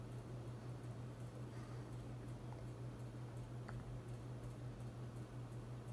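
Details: Hunter Infiniti 52-inch bright brass ceiling fan running on high speed in a living room: constant low electrical hum with a faint pulsing beat; the fan motor hums audibly at steady running, cause suspected, not confirmed.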